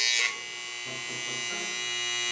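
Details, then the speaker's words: Wahl 5 Star vibrating clipper after tightening the screws holding the arm, which had been wobbling and rattling loudly. Steady, strong high-pitched buzz with no rattle after the first moment. Normal clipper hum, running smooth and properly tensioned. "so you see now it ain't rattling and the boys still strong so that's good"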